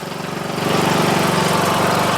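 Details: Murray Select 14.5HP 42" lawn tractor after starter motor and stator replacement and valve adjustment, headlights disconnected: small single-cylinder engine running steadily at an even fast beat, no knocks or misses, charging about 13.47 volts; normal running.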